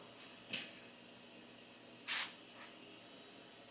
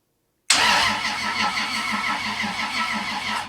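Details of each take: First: 1978 Datsun 280Z with 2JZ swap on ECUMaster Black standalone, first start after fuel system pressurized and oil pressure built: cranks about three seconds, catches with a brief roar, then stalls within a second. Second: 1978 Datsun 280Z with 2JZ swap, first-ever crank on an old used starter via temporary switches, ignition off. Starter spins engine at an even pace for about three seconds with regular compression pulses; healthy cranking.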